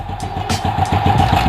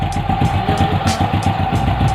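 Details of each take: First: SYM Bonus X110 scooter restarted after about 3 years stored, carb and airbox just refitted: idle with a clattery metallic rattle that comes and goes. Owner opens the lower tensioner and suspects its spring was removed, letting the cam chain slap. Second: SYM Bonus X110 scooter after the cam chain tensioner fix, with about half a drum-brake rod spring added to the stock tensioner spring: steady even idle at about 220 beats per minute, no chain rattle or ticking. Noise gone, engine healthy.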